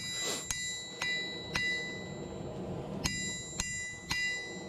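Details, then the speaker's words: Vevor 110 lb single-horn cast steel anvil struck with a hammer, dogs barking: crisp blows each followed by a clear lasting ring and good rebound, a sound anvil face. "I do apologize for the dogs, but you should be able to hear the pinging over them barking, I would hope."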